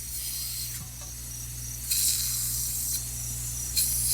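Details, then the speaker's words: Cheap MALLOFUSA air bead seater tank at about 50 PSI: constant high-pitched hiss with a few handling bumps; air escaping from a leaking cheap fitting, not the gauge. "So that could break. Oh God, yeah, that's a fucking leaker. That's leaking."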